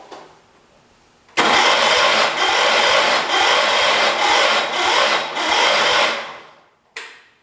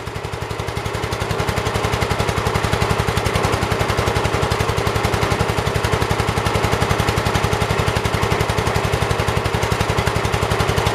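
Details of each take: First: 1978 Kohler K341 single-cylinder, freshly rebuilt with new rings, first start attempt, timing untested: harsh rasping churn about twice a second for five seconds, never catches; owner suspects too little fuel; cranking without starting. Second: 1978 Kohler K341 single-cylinder, freshly rebuilt, first run after initial smoke cleared: crisp even firing beat, steady and strong, no misses or knocks; normal running.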